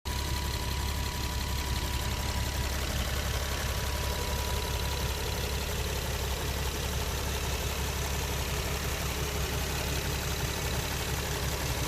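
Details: Infiniti G37 idling with a light, fast ticking over the engine hum, traced with an oil funnel to the vapor canister purge solenoid, not an injector; owner also notes cold-start rough idle, and replacing it didn't fix the issue.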